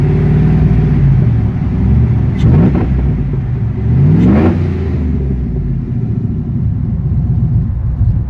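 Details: Chevy K1500 with 5.3 V8 swap and TSP 212/218 .600-lift cam: uneven, loping, choppy idle with a couple of quick throttle blips settling back; rough idle, cause suspected but not confirmed.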